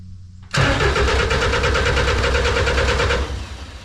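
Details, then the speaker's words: Snowcat turbo diesel first start after bleeding the fuel system. Starter cranks steadily about three seconds, never catches. No-start; owner thought air was still being purged, but the fuel pump fuse was found missing. "I think it's still just working all the air out of the system I might uh crack an injector here let's see if it's spitting any fuel"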